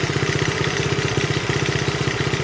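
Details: 1971 Honda CT70, nearly 50-year-old mini bike being revived: even quick four-stroke putter at idle, steady rhythm, no misses; valves beginning to be audible, needing adjustment; normal idle.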